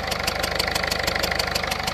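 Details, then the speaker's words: Ford Fiesta diesel at idle, no OBD warning light: sharp chuffing tick about six times a second over the clatter; compression leaking past the injector, seating washer or dust O-ring fault. "உங்களுக்கு இந்த இன்ஜெக்டர்ல வந்து உங்களுக்கு league ஆகுற compression league ஆகுற sound கேட்கும் இதுல பார்த்தீங்கன்னா உங்களுக்கு கம்ப்ரஷன் லீக் ஆகுற சவுண்ட்"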